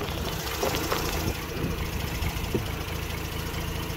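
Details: 2006 Mazda RX-8 rotary with hot-start trouble, owner suspects low compression from failing apex seals, new starter fitted: low idle with irregular lumps and stumbles during Picoscope coil tests; the coils all look similar, so any misfire is not ignition-caused.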